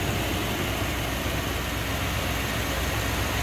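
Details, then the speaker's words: 1991 Cadillac Brougham d'Elegance, stock 5.7 L V8, 29,463 miles, idling, heard in the engine bay. An even, steady V8 burble over some fan hiss with no misses, knocks or ticks; normal healthy idle. "Like I said, stock, just what you'd expect. Here, how smooth that 5.7 liter runs."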